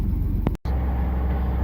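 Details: 1998 Chevy Silverado 1500 4.3L V6 Vortec 4WD idling just after fuel pump replacement that fixed low fuel pressure and hard starting; started quickly, pressure about 52–53 psi; steady, even low rumble with no knocks or misses; normal idle.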